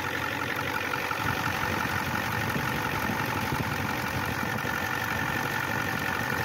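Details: 1994 Ford F250 turbo IDI diesel after replacing fuel injection return line O-rings: steady, even rattly clatter without misses or surges; normal diesel idle.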